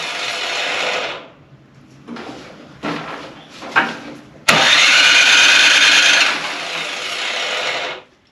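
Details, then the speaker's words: Craftsman/MTD-type snow blower small gas engine that has clogged its carburetor before: several rasping recoil pulls with pauses, engine never fires; no start, clogged carburetor starving it of fuel, fixed by replacing the carb unit. "If you have a snowblower or some other small gas engine and it won't start like this, it's most likely the carb or bad gas. Now for this one I know it's the carb because it's done it to me before."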